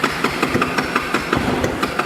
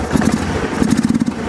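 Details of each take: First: Kawasaki 300 ATV after repair and reassembly: a couple of seconds of cranking, then catches and settles into steady even idle with no misses — normal idle; spark later lost. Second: Long-sitting Kawasaki 300 ATV, started with starting fluid before carburetor teardown: uneven sputtering idle that falters and dies, runs only briefly — stalling at idle from a clogged carburetor jet.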